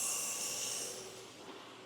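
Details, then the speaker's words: Petrol engine running with a loud steady hiss of air sucked through a broken vacuum hose under the hood; lean condition, both bank sensor-one O2 sensors reading about the same, only one code set; fix is replacing the hose. "Okay, I hear a vacuum leak. Yeah. Wow. Can you guys hear that vacuum leak?"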